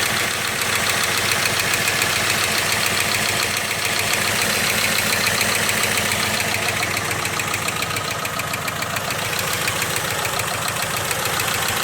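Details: Jeep engine at steady idle: sharp metallic ticking of about three to four beats a second, a knock-like noise whose source is unclear.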